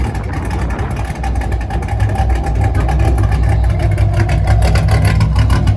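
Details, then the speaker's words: 5th-gen Camaro V8 after broken-piston repair, DOD/AFM delete and Texas Speed 224R cam, on half a tank of super: deep, lumpy idle holding steady without stumbling or dying, no header rattle; driving fine, not loading up; normal idle. "the cars seems to be driving fine it's uh it's idling it's not turning off it's not loading up"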